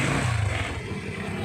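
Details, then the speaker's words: Motorcycle that died when headlight was on, after repairing burnt, broken yellow regulator/stator wire with electrical tape: runs steadily to an even idle with light on, no stalling; normal running. "hindi na siya namamatay andar na kahit may kahit may ilaw na siya Okay na siya yan ayan ilaw na yan"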